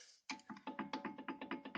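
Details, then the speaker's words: Opel Astra J: sharp hollow metal-on-metal knocks about five a second, calipers rattling in their brackets after dealer warranty replacement; new brackets were expected to fix it but the rattle remains. "так брякает суппорт после замены у дилера типа новые скобы должны устранить"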